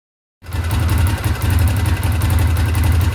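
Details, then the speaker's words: Honda Tornado single-cylinder motorcycle at idle: fast light sewing-machine tapping over the thump; valves had too much clearance, to be set to 0.12 mm intake, 0.15 mm exhaust. "Reparem no barulho de máquina de costura."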